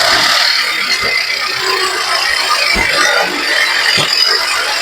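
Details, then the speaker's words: Mercedes-Benz GLC 250 with an engine-bay noise complaint: at idle in neutral the engine is smooth and steady with no rattle, tick or knock, a normal sound; the noise reportedly appears in D or with the AC compressor on. "Ahí en ralentí tiene un sonido normal."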